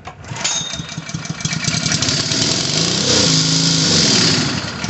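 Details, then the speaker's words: Honda GX120 on a Third Lung that won't start; after dead cranks with choke and without, carb cleaner sprayed into the carburetor, it catches and sputters into a ragged run; has spark and compression but no fuel, needs carburetor rebuild. "right, that fired up. That means it has spark, it has compression, but it's not getting fuel. So this one needs a carburetor rebuild."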